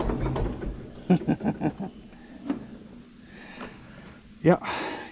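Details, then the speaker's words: Minneapolis Moline GTB tractor: a few uneven sputtering firing pulses, then the engine fades out and stalls; owner suspects a fuel issue. "Got a fuel issue. So, well, I knew I was trying my luck there."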